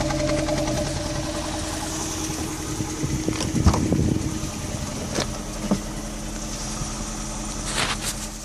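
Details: 2001 Mk5 Ford Fiesta 1.25 Zetec with lumpy, uneven idle, irregular stumbles and dull thumps; no compression in cylinder 2 and very little in the others.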